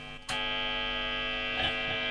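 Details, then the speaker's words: Harley Benton TE90FLT guitar on a high-gain amp channel: loud steady hum with a bright buzz; the pickups are microphonic. "You'll hear that the hum is significantly higher. If it's at any sort of volume, it starts to feed back, no matter where the guitar is, and it's uncontrollable feedback."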